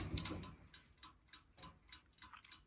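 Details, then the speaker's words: 1952 Parnell tumble dryer clockwork timer running normally: steady, crisp ticking about three a second; counts down and clicks off properly at zero. "so that's that the timer does work you can hear it clicking"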